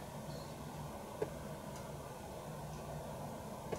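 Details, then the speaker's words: Roctec RF332C external floppy drive on an Amiga 500, empty, before disk insertion: quiet hum with a soft click about every two and a half seconds; normal drive polling, showing Amiga and drive communicate. "coming from the drive so that tells me that the amiga and the external drive are actually communicating"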